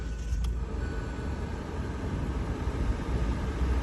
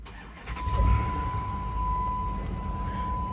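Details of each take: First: 2017 Hyundai Elantra auction car with crankshaft position sensor B code, hard to start on first crank: low, uneven idle rumble wavering in loudness as if about to stall; sensor replacement planned, fix unconfirmed. Rough idle from faulty crankshaft position sensor. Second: 2009 Chrysler Aspen with 5.7 Hemi V8: short crank, then it starts right up and settles into a steady low rumble with a faint chime. Healthy quick start, though a check engine light is on and the engine has a slight shake.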